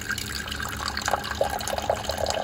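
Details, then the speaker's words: SimPure Y7 countertop reverse osmosis water filter, powered from a power pack, after a brief start-up flush: steady trickle and splashing of clean water filling a container over a quiet pump hum; normal dispensing. "and your clean water comes out."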